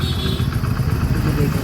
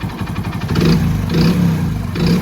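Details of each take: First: Hero HF Deluxe single-cylinder bike at idle after crank noise repair with quality parts, started on a weak battery; soft even running with a steady low thump and no knocking from the bottom end; a healthy, smooth engine. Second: Hero HF Deluxe single-cylinder bike revved repeatedly: rough rattly sound; crankshaft problem, crank bearing rattle, before engine teardown and repair.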